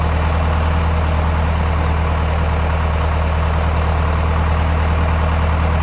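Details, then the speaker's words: Zetor 5718 diesel tractor parked in a hedge for about five years, first start after years of standing: steady low diesel clatter at an even idle with no misses or knocks; oil pressure present; idles cleanly. "And so leave your Zetro growing in the hedge for 5 years and it dusts straight off."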